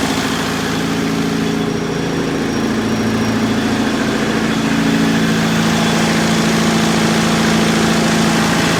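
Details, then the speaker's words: Perkins four-cylinder diesel (4.152/153/154) in 1980–81 Bobcat 843, injectors reset to crack at 2200, electric fuel pump fitted: steady drone with uneven shaky pulse about three per second at idle; starts easily but runs rough, cause unclear. "the engine now starts nice and easy and it runs it's just running rough"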